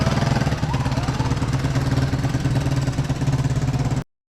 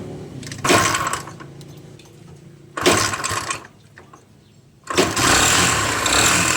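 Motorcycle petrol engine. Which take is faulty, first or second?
second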